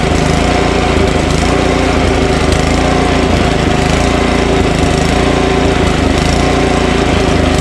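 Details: Ariens snowblower Tecumseh Snow King engine, just started on electric start with choke and full throttle, then lowered to idle without stalling: steady run with slight rise and fall about every second, mild surging; owner suspects buildup in the pilot jet.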